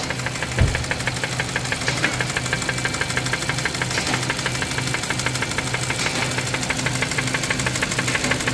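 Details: 2017 Hyundai Kona 1.6 T-GDI petrol engine at idle with a loud, fairly even ticking clatter, about three beats a second over the hum, diesel-like; cause unclear.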